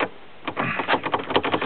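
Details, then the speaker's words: Oldsmobile Alero in about 10°F cold, engine running: wiggling the key without turning it sets off quick uneven sharp clicks and clunks as door locks cycle by themselves; owner suspects a failed ignition switch. "wiggling the key the door's just locked there look at that wiggling the key I didn't turn the key"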